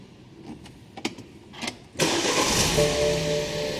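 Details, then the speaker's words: 2008 BMW 3 Series convertible with comfort access no-start history, door handle connector disconnected: brief crank catches at once and settles into a steady, even idle; normal clean start. "The connector was disconnected, and then it started up, and they thought, let's leave it like this. So let's find out. We'll take the connector off and see if it will start again."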